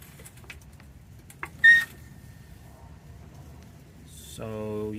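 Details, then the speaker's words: Pittsburgh 1.5-ton low-profile aluminum racing floor jack, 10+ years old, squeals rising in pitch while pumping up under load; began within the last year, not worsening, lifting unaffected; owner suspects it needs servicing or new hydraulic oil. "it's doing that um yeah so makes that little squeal noise I hope my neighbors don't think I'm hurting a kid or anything"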